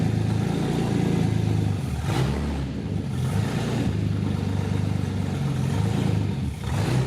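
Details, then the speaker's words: VW Passat flip car after a coilover install, with a soft clutch that may need bleeding: the engine catches and revs in smooth, even swells with a steady idle between, no knocks. A loud big-cam engine running healthy. "That works. It works. Yeah, buddy. Super big cam."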